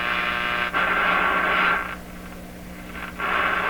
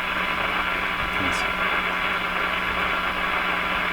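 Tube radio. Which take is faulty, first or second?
second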